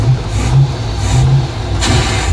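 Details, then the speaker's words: Project boat, timing only roughly set, floored on the water: revs surge and sag, stumbling and losing pull; owner suspects running out of fuel, fuel pump then found not working. "Oh. Are we running out of fuel? Yeah, we're having fuel issues."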